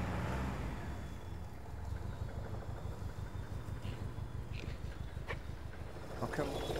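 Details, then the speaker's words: Ford Escort RS Turbo four-cylinder petrol with fuel injection, started after visual check: lumpy, uneven idle with a missing beat, running on three cylinders instead of four; misfire. "there is quite obviously something amiss here literally uh it's running I can tell by the beat of the engine it's down on one cylinder it's running on three instead of four"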